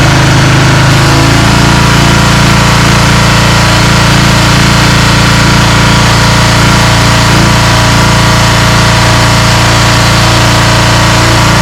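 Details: Free small-engine pressure washer after fitting a new carburetor to replace the rusted-out one; hose blown out with compressed air. After a brief stumble it settles into a steady, even buzz with no surging or misses: runs properly.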